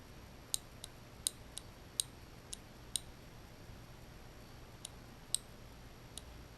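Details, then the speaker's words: 1989 Lotus Esprit Turbo fuel injector: crisp, sharp clicks with no buzz, a healthy injector; one of the four injectors instead made a buzzing noise. "that injector sounds pretty good"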